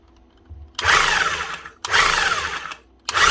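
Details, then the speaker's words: Demolition hammer with gears intact, oil/grease suspected dried up or leaked: motor spins up in three short smooth bursts, compression audible, but no hammering blows; striker not hammering, grease to be added. "She is getting compression, you can hear it. But it's not doing anything down this end."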